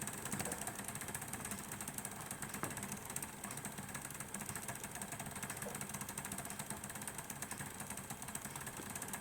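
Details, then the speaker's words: Model P2 Cock O North locomotive: quiet, fast whirring buzz with an uneven ratcheting edge instead of a clean hum. The worm drive meshing with the cog runs rough; owner is unsure whether the motor or the gear meshing is at fault. "I can see it and I can feel it that there is something not right with the meshing of uh of this Worm Drive here underneath the Cog that's driving to see that right so you can see it's not it's it's not smooth operation"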